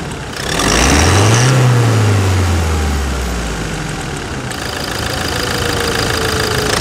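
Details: New 2021 Toyota Hilux single-cab 4x4 work pickup diesel, fresh from the dealer; smooth even rise and fall as revs climb and drop back, no knocks or rattles: normal engine revving.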